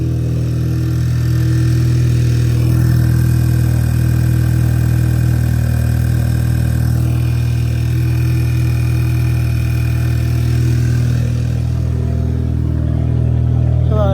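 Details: Audi A3 2.0T TFSI after replacing the PCV valve (oil separator): smooth, steady idle with an even low hum. The previous whistling is gone and the engine sounds healthy, though the check engine light is still on.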